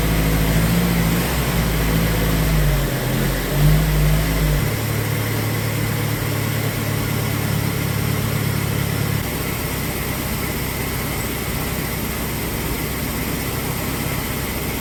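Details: 1990 Isuzu Trooper, 2.6 four-cylinder, 5-speed 4WD, first start after an engine reseal and EFI-to-carburetor swap: catches into a low, slightly lumpy idle, then is nudged up to a steadier, higher tick-over. Low idle, corrected during initial tuning.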